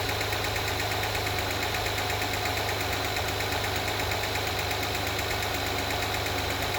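Steady light ticking over the engine note, roughly three per second at idle and speeding up with the revs; source of the tick unconfirmed.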